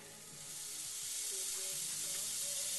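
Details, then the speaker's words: Zenith 25MC36 TV with the original high-voltage rectifier tube refitted and the high voltage set to about 24 kV: a steady frying hiss with faint crackle, like a power line in fog. This is corona leakage blamed on cigarette deposits. "This damn thing here sounds like a high tension line in the fog. There's still a lot of leakage there"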